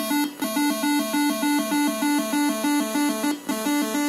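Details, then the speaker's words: Scorpion 1 arcade board (All In A Day's Work, original sound card, battery-damaged audio section): game tune plays but cuts out completely twice for a split second, traced to a faulty volume pot that needs changing. "And then it'll die off instead. Yeah, the pot needs changed. Pot definitely needs changed."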